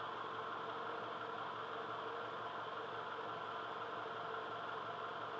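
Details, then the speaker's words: 2002 Toyota Camry idling after PCV valve replacement: quiet, steady idle with an even hum and no hiss or stumble; no vacuum leaks, normal idle. "so we are having no vacuum leaks"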